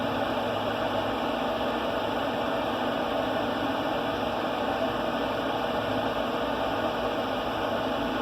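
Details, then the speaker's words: Z Grill 700E pellet grill during burn-in, climbing fast: steady, even rocket-like roar with constant blower hiss and no surging or popping; fire pot burning hard normally. "That thing's probably running like a jet engine down in there. You can hear it sound like a rocket, so the flame's going."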